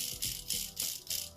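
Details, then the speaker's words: WPL C24KM RC truck axle assembly, hand-spun after grub screws were ground down for the flat spot: fast, even swish about three times a second as light grub screw rubbing on the middle, expected to wear itself in. "a little bit of rubbing so you can still kind of hear that grubs rubbing on the middle but that'll wear out eventually it'll wear itself in"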